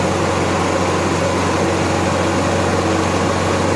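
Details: Honda EXW171S welder generator that sat in a barn over five years, running indoors after a fuel filter fix, warmed up on choke: smooth, steady hum with an even low drone and no misses or knocks; runs cleanly.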